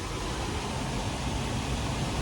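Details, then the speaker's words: Liebert server-room cooling unit after belt-tension maintenance: the blower runs with a steady, even rush of air and a low smooth hum, no squeal or flapping. Airflow rose from about 1106 to roughly 2094–2179 feet per minute; normal blower operation. "Now, getting a lot of airflow in here. You can obviously hear a difference."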